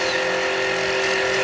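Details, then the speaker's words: Lathe machining an aluminum prototype wedding band, cutting a chamfer while advancing the tool in small increments: steady high squeal with coarse buzzing edge. Tool chatter. "That is almost imperceptible, so I'm going to do another 5. You hear the chatter."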